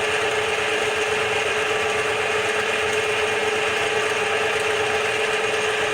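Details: Bench-top DIY CNC mill making its first facing cut on a small steel piece, 3-in-1 oil as lubricant; smooth, continuous rasping cut with steady ring, no chatter or stalling, normal, halfway through.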